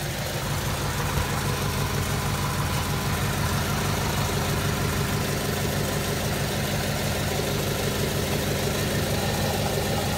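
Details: 1995 Acura Integra after cracked header exhaust leak patched with exhaust repair wrap: steady, even idle, smooth low drone with no ticking or puffing; sounds sealed and healthy.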